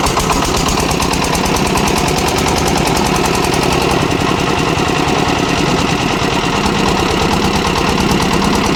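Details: Kirloskar air-cooled diesel (10 kVA generator / concrete mixer engine) just fully rebuilt and bled of air: loud, fast, steady chatter at constant speed with no misses, surging or odd knocks; running normally.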